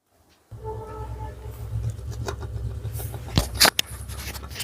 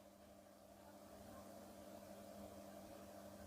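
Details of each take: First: Running ceiling fan with a low, rough hum, faint whine and uneven knocks, louder at the blades: a worn bearing seat. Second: Ceiling fan repaired without changing the bearing, formerly noisy especially at the blades, now running silently with only a soft steady electrical hum, no rubbing or clicking.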